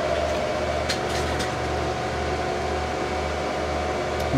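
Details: HP Pavilion A1210N desktop after removing the added 1 GB RAM stick and running only factory memory: fans spin up to a steady, even whir with no beeps and the hard drive is heard reading. Normal boot, no beep code.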